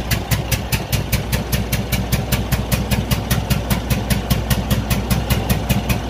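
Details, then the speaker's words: Cummins ISX15 diesel at idle makes steady sharp puffing ticks about 150 a minute over a low rumble, an unusual sound traced to a broken cylinder head gasket leaking compression and damaged head bolts, needing a major overhaul. "this engine was making a very unusual sound as you can hear right now"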